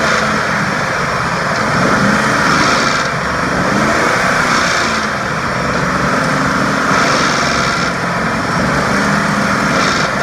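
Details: 2004 Ford F150 5.4L V8 revving and letting off gas around 2300–2500 rpm, in drive or park: loose metallic rattle as revs drop, present with belt removed; cause was a broken timing chain tensioner.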